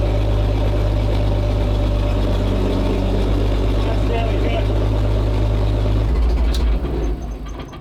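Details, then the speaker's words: WWII-era petrol-engined military vehicle, started on choke after rancid fuel had been in its tank: deep, throaty, steady low rumble with an even firing beat that settles; running healthy. "Wow. Nice. That's got a nice throaty sound to it, has it? >> Yeah. Extra throaty."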